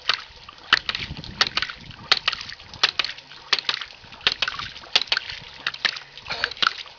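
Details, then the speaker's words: Homemade gravity-powered ram pump from common pipe fittings, valve cracked open: sharp clacks roughly every second over running water, fairly regular waste valve slam; pump delivering water. Normal valve clicking. "Now we'll crack this valve here, and you'll hear the second valve start clicking."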